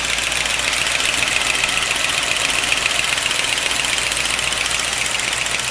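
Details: 1955 Pontiac Chieftain on fresh oil (five quarts of Walmart 10W-40 plus one quart of Marvel Mystery Oil), run to see if it quiets: a light, sharp, even tick of about 220 a minute over a steady idle, from the top end. Cause unclear.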